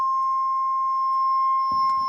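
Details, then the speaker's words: 1989 Jeep, 120,000 miles, sat since September with weak ~10-year-old battery: steady unbroken high-pitched electronic door-open chime before start attempt; chime working normally. "chime in the 89 is annoying but this is a really nice jeep"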